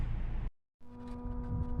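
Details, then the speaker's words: 2015 turbo car bought in 2018 at 35,000 miles, engine switched off; engine noise stops, then steady low electric buzz as pump sends coolant to the turbo for about a minute, normal designed run-on. "hopefully you could hear the buzzing this car has a great feature when you turn it off it'll pump coolant towards the turbo for about a minute with the engine turned off"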